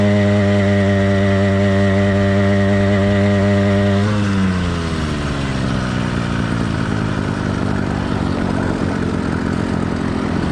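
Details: Warmed-up but not heat-soaked two-stroke motorized bike kit engine (single-speed, single-circuit carburetor): clean steady buzz drops off around four seconds into a rougher, lumpier beat near 240 a minute; normal warm running, light four-stroking.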